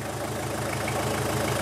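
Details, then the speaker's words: Toyota Hilux Surf 2L-TE diesel after swapping the old CT20 turbo for a CT16-V variable-geometry turbo from a 1KD-FTV: steady, even idle with smooth low clatter, no hiss or whistle from leaks; running healthy. "sounds good so looking pretty good so far I'm pretty Keen to take this for a drive"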